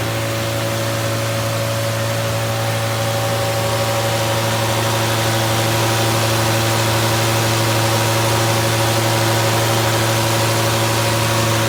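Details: Fully rebuilt Triumph Spitfire 1500 engine on run test, electric fuel pump, about 1000 rpm idle, oil pressure around 80 falling toward 70 psi, not yet fully hot; loud raw unmuffled exhaust, smooth steady beat, no knocks; healthy idle.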